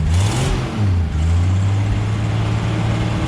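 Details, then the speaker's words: 1977 Jeep CJ7 Renegade that sat 9-10 years, running after its fuel siphon tube was primed; steady, smooth low hum with a light rev, slightly smoky as oil burns off, carburetor fine, exhaust leak location unknown. "hums like a kitten [Music] little smokey let's run a nice putting that oil burn off"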